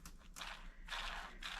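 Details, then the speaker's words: Rough, worn small RC brushless motor bearing spun by hand: gritty, rasping bursts. Water had got inside the motor, leaving parts burnt, melted and deteriorated; the bearing is poorly lubricated. "this bearing sounds terrible okay listen to this bearing"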